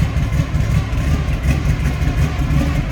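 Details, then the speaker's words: 1971 Chevrolet Nova, built 400 V8 with Isky cam and headers, heard from behind the car at the exhaust: deep, even burbling idle rumble with no misses or knocks. Normal V8 idle. "Slip around to the back of this. The rumble coming out of that V8."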